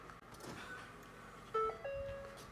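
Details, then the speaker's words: Ford Fiesta ST, engine off, key on after plugging in Microsquirt aux fuel controller: two clear, short chime tones a moment apart in a quiet cabin; normal key-on startup chime. "Hear that wonderful Ford doo-doo-doo."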